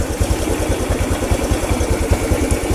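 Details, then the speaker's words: Honda Revo single-cylinder motorcycle with healthy charging system: steady, even low idle thump about two and a half beats a second, no misses; stays running even with connector unplugged, unlike the faulty kiprok condition earlier. "ini kondisi motor normal kalau yang awal tadi Itu motornya nggak normal karena connectornya ini ketika dilepas motor jadi mati ya"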